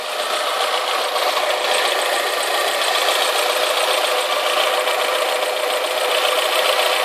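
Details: Alfa Romeo 156 2.0 Twin Spark petrol engine at idle after replacing the exhaust manifold and metal gasket, refitting the manifold bracket and re-bolting the downpipe to the catalytic converter: quieter than before, but a light fast pinking tick remains.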